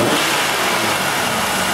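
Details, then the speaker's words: Six-cylinder engine on a snap throttle, cylinder five misfiring from a stuck-closed fuel injector (scope shows a high spark line): the engine stumbles and sounds ragged as the throttle opens; a dead misfire, fuel-starved cylinder. "we have a dead misfire we can feel it we can hear it it's misfiring right now"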